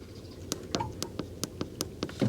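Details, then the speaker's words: Doosan G70 portable generator auto-start controller start button: worn-through button covers let dirt and grime into the switch, causing intermittent no-start; after blowing it out, crisp clean clicks on each press, about eight in quick succession; switch now works normally. "and the start button it's clicking now because we got that all freed up we kind of blew this out there's probably some dirt or Grime in there and now it clicks and so now it's working right now"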